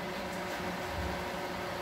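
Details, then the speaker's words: Microwave running after its transformer terminals were reconnected. It heats, but gives a harsh, steady abnormal electrical buzz blamed on the high-voltage capacitor, which measured correctly on a capacitance meter. Replacing the capacitor is planned. "tá barulho estranho esse barulho é do capacitor é que esse amigão que é um e vamos ver"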